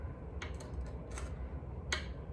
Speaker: However, it has a click at the nut when you pull up on the tremolo bar.